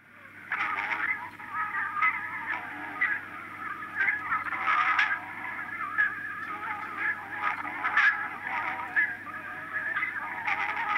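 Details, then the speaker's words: 1965 Grundig EN3 Luxus pocket cartridge reel-to-reel dictation recorder playing recorded music: thin and boxy with no bass or treble and wavering pitch, from unstable tape speed and a voice-limited frequency range. "As I'm sure you expected, music on the Electronic Notebook sounded pretty awful."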